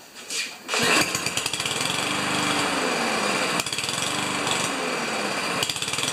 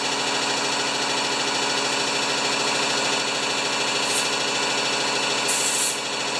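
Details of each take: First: Powermore (Yard Machines) lawnmower that starts and stalls, running on two-stroke priming fuel drawn from a can into the carburetor intake: catches and runs fast but surges and drops in bursts, dying back between feeds; runs only on fuel fed into the intake. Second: Powermore (Yard Machines) lawnmower, brought in for starting then stalling: small single-cylinder engine idles at a steady, even buzz with no hunting or sputter; normal clean idle.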